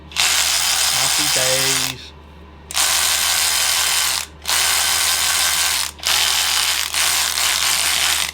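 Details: Snap-on 3/8 cordless ratchet tested after repairing its battery: four even bursts of fast, steady ratcheting whir at an even pitch, starting and stopping cleanly; normal operation after repair.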